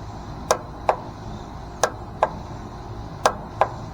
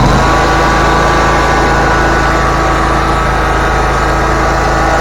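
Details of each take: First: Bobcat zero-turn mower with a weak battery on a jump pack, key turned: sharp single clicks in pairs about every second and a half, no cranking at all; starter solenoid clicking without turning the engine. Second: Bobcat zero-turn mower after a clicking no-start was fixed by replacing the starter solenoid and reconnecting the cables. Steady, even engine note with no misses, knocks or clicks: running smoothly and healthy.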